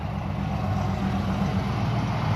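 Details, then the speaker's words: 1992 Ford Mustang LX 5.0 V8 convertible, parked over 10 years, just restarted: settles into a smooth, even idle with a steady low rumble and no ticking or misfire; normal idle. "Even idling down perfectly. That EGR doing its job."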